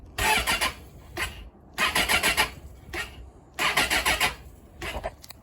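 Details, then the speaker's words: Suzuki GSX600F K6 after long standing, fuel overflowing from a carburetor: short, uneven starter churning bursts with pauses, engine never catches; battery flat from sitting. "yeah from a lot of standing the battery R flat that's not a good thing"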